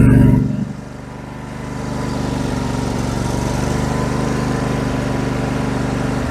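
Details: MTD 21hp 46-inch lawn tractor with a Briggs & Stratton twin, being refurbished: brief crank, then a low, steady twin-cylinder putter settling into an even idle with no misses or knocks. The engine runs normally.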